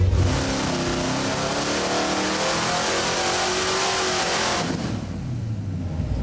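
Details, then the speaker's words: Supercharged stroker 383 small-block Chevy V8 on a dyno, 24 degrees timing, full-throttle pull making 626 hp and still climbing: steady howl with an even rising note, drops off cleanly, no misses; normal pull. "Number looked pretty good. Okay, so I made a 24 for torque, but and it made 626, but it's still going up."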